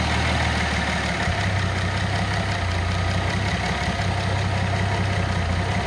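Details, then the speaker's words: Nissan L28ET turbo engine with a Ford idle air control valve driven by a VG30ET controller: steady idle around 800 rpm with AC on steps to a lower pitch when AC switches off, dropping to a reading of about 600 rpm that may not be accurate; low idle. "so when you crank the AC switch off it drops the idle down 2 4 actually 600 I don't know if that's accurate or not"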